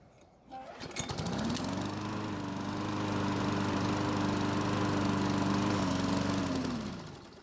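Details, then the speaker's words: Poulan mower after repairs, air filter reinstalled, restarting warm after about a five-minute run: catches quickly and holds a steady even drone about five seconds before winding down; runs well, though it still doesn't stop properly (bent arm suspected). "so the good news is that it started back up after running for about 5 minutes but the bad news is that it's still having a problem stopping like it should"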